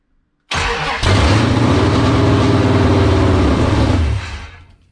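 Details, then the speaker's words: 1978 Dodge D100/D150 Warlock truck, 360 small-block stroker, first start, cold with no choke: fires, revs hard with an uneven mean burble, then dies within about three seconds; stalls after start, possibly fuel starvation, ignition not seeming to cut. "wow all right she uh she wants to go wow that sounds mean see if we can keep it running this time"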